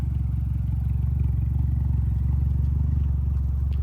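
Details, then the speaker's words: Mitsubishi Lancer Evolution X on first test drive after engine install, heard from the rear: deep, steady puttering drone with a rapid chuff, about four per second, at low speed; exhaust leak at the two-bolt flange, gasket not sealing. "So far so good. Got a little exhaust leak back here. Sounds like a gasket. >> It's same situation. The two ball flange. It's not ceiling, man."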